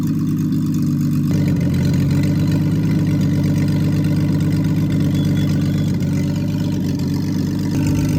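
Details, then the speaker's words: Freshly rebuilt Triumph TR6 six, head shaved 60 thou (about 8.4–8.5:1 compression), after first start, warmed up, chokes off, distributor slightly adjusted: smooth, even low-pitched idle holding steady, no stumbles, ticks or knocks; normal warm idle. "It was tricky in the beginning when there was no when it was cold, but now it is but once it warmed up and I turned the chokes off, it's running pretty well."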